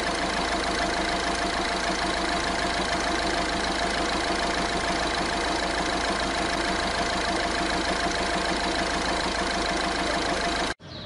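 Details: Diesel at steady idle with a constant, unchanging rattly whir; tensioners and pulleys had not been replaced, and the pulleys were confirmed as the fault.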